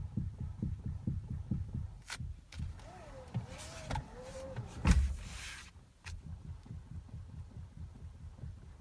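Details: Toyota Avensis at idle: steady low throb, then sharp clunks and short groan each time the steering wheel turns; steering knock, cause unclear.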